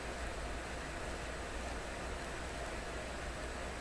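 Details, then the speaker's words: McIntosh MR-71 FM receiver out of storage, FM signal generator near 100 MHz clipped to 300-ohm antenna input at full output: steady hiss, zero reception; likely because it was still on restricted power. "0 reception. Something I got wrong here. I better check this. It's a nada."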